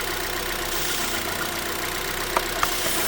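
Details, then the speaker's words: Constant airy hiss or sucking noise from the engine bay over a slightly unsteady idle with occasional rev drops and hesitation on a 2006 Vauxhall Vectra-C Z18XER; owner suspects a failed PCV valve in the rocker cover. Removing the oil cap or dipstick worsens the suction. "And I can hear a slight sucking noise from the engine bay. Okay. You can probably hear the uh noise which appears coming from around here. I think it's the PCV valve."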